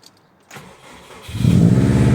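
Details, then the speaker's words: Prodrive Impreza STi EJ20 mild build, first start after new timing belt: short crank, then catches cleanly and settles into a steady even idle, no knocks or stumbles. "there we go perfect pissing out fuel sort that fuel pipe running nicely no more leaks"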